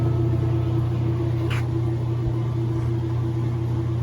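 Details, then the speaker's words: Kenmore 90 Series washer on a fast spin after repair: a steady, even low hum with the loud spin noise completely gone; the loud spin noise had been caused by a worn transmission shaft. "Escuchen, se nos quitó el ruido por completo, el ruido que tenía. Esta lavadora ya quedó al puro fregazo. Qué bonito spin tiene, súper rápida."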